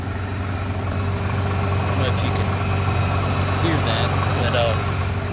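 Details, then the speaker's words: 2016 Nissan GT-R, 3.8L twin-turbo V6, idling: steady low idle with a very loud cooling fan and light rattles, said to be normal for this vehicle. "you know while it's running it does kind of have a little bit of noises here here and there uh has a very loud fan has like rattling sounds and stuff like that and I was assured that that was all part that all it's all normal for this particular vehicle"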